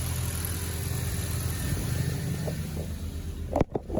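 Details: Audi B6 1.8T after replacing a broken idler pulley and resetting serpentine belt tension (battery light had been on, loud annoying noise): steady low idle hum, no chirp or squeal from the belt side, a couple of handling clunks; engine sounds healthy.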